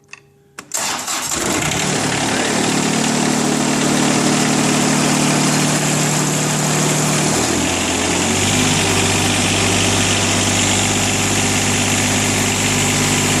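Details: 1999 John Deere 455 diesel with 135 hours, some bolt rust from snow exposure. Quick crank, catches at once and settles into a steady, even diesel clatter at idle; healthy start and idle.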